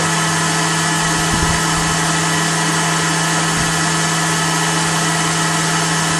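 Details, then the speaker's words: Blower fitted to a BMW E39 electric-vehicle conversion, test-run: constant whooshing airflow over a fixed low hum, speed dead steady apart from a couple of faint knocks; blower runs fine. "well you got a pretty good idol this thing is making noise it's sucking and blowing and see if the motor likes"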